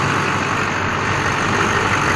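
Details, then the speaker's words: 2001 LB7 Duramax diesel after new injector swap and filter head housing replacement; even, steady idle clatter with no misses, knocks or surges, no white smoke, runs smooth, normal idle. "It's not smoking and she sounds smooth."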